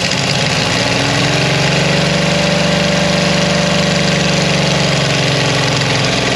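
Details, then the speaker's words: 1975 Dodge motorhome 360 LA Mopar V8, abandoned an estimated 25 years and previously locked up: loud V8 settles into a steady but uneven lumpy idle, still running rough. "flame sounds like it wants to run on its own fuel no matter how shitty it"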